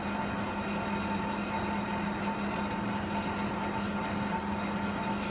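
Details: Ashley AGDV12 propane furnace blower in an off-grid tiny cabin during extreme cold, just switched on by thermostat: low steady fan hum, no rattles or scraping, running smoothly.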